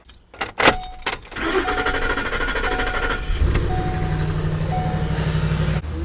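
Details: 2007-2017 Ford Expedition right after battery replacement: starter cranks briefly, engine catches and settles into a steady low, even idle; starts and runs normally.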